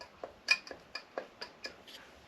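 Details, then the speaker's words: Triumph Daytona 955i radiator cooling fan, rusty with chipped blades, running off the bike: light dry ticking about four times a second; worn fan bearing with play, fan to be replaced. "we've got a very ugly looking fan which is all rusty and it's got bits missing out of the blades but it still runs however it's got some play in the bearings don't know if you can hear that"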